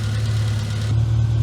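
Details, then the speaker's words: Classic Mini MPI small petrol engine after rebuild and head gasket repair, coolant just filled, warming up, oil burning off: steady hum staying elevated instead of settling low; idling a bit high again. "seems to a little bit high again"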